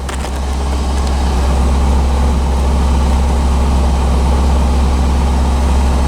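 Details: 1985 Chevrolet Corvette C4 V8, just revived after a no-start traced to a poor negative battery cable connection: steady low rumble at fast cold idle, no knocks or misses; oil pressure good, normal cold idle.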